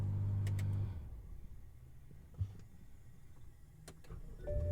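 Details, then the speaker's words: 2010 BMW X6, modified, about 80,565 miles, pre-purchase inspection restart after idling near 1,400 RPM: idle fades, then brisk crank catches promptly into rising engine note; starter responsive, not sluggish. "okay all right so that was that was pretty quick uh i thought i heard some sluggishness but but no that was pretty responsive"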